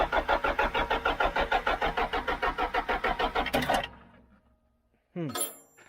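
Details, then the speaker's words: John Deere 310G backhoe diesel after a long-awaited part was fitted: steady cranking about three strokes a second for four seconds with white smoke, then a brief rising catch; hard starting, primer pump needed. "White smoke. Sorry, one time. Man, that sounds like it wants to."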